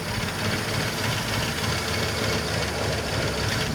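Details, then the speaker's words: 1985 Ford Econoline E-350 box van V8, revived after sitting for years, restarted after a further fix: starts right up and idles evenly with a steady rumble, no misses or knocks, though still a little smoky; normal idle. "Even idles. Let's see if we're still smoking out."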